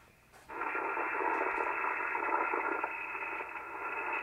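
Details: ICOM 751A ham radio receiving a signal-generator carrier on an upper band around 21 MHz: instead of a clean steady tone it is a rough, hissy warble, showing the PLL is not locking.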